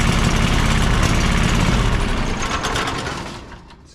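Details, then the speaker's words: John Deere 425 riding mower with Kawasaki V-twin after replacing a bad ignition coil on one cylinder: even, fast, steady beat at full throttle, both cylinders firing, no stumbling, RPM possibly set slightly high; running normally. "that replacement did the trick so that's going to solve our issue now if we start it back up I'm sure everything won't run that Full Throttle pretty good"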